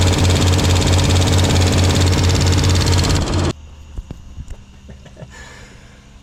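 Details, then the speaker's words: Junker-88 K1500 V8 after no-start repair, exhaust and inspection cover refitted: loud engine with quick even tick about two per second developing after a day; loose pushrod seen, owner hopes loose rockers. "Um, it's been about a day and there's some kind of ticking ticking noise. I'm hoping it's just loose. Um, rockers."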